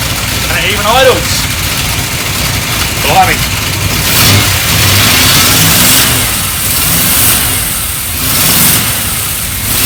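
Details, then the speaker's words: Triumph Stag V8, first start after about 15 years unrun, carbureted: catches and revs unevenly with stumbling, irregular misfire and no throttle response because the accelerator pump jets aren't working. "it was missing a little bit um didn't want to respond to any form of throttle really at all um due to the pump Jet"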